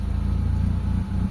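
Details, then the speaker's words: Mitsubishi Lancer GLXi 4G92 manual that drops idle and stalls in traffic with aircon; steady low idle drone that does not rise when steering is turned, before cleaning; carbon-fouled idle speed control valve not compensating. "pagka inikot natin onong steering wheel dapat ah tataas siya so ikutin natin mga bossing. Ayan mga boss walang walang reakson mga bossing."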